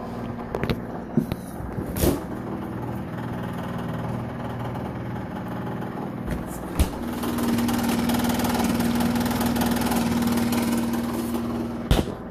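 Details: Refrigerator running with a loud noise: a steady low hum whose droning tone rises mid-clip, with a few sharp clicks; the compressor is running unusually loud.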